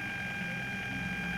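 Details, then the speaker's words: Bluetooth module and amplifier sharing one 12 V supply: a steady high whine with several fixed tones persists even at minimum volume. Power-supply interference noise, to be cured with an isolated 5 V supply for the module. "a pesar de que estamos en el mínimo volumen como ven 0 0 puedo subir o bajar con el control que ya incluye este tipo de módulos igualmente se escucha esa interferencia"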